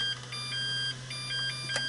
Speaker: And as you can hear, when I'm putting the battery in, the melody plays. And yeah, it will play when the battery is charged.